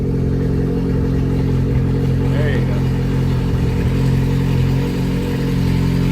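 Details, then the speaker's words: Car started the morning after its catalytic converter was cut off overnight, Service Engine Soon light on: deep, loud, raw unmuffled rumble swelling as revved; loud exhaust from missing catalytic converter. "I said that is so loud. I had no idea it was going to be like that. Okay, so you heard all that loud noise, right?"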